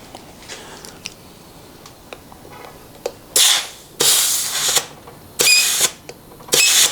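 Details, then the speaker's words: 4L60E transmission during a DIY rebuild with Sonnax upgrades: a compressed-air check on the clutch piston after installing and forming the Teflon seals gives four sharp blasts that cut off cleanly with no lingering hiss. The seals are good. "See that? Sounds real good. You hear that? Okay, so that's how you know they're good."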